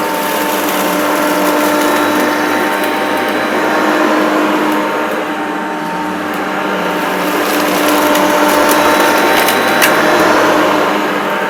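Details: Maytag U5131 upright vacuum on carpet: steady motor hum with a thin squeak repeating about four times a second; owner suspects a belt needing replacement, not confirmed.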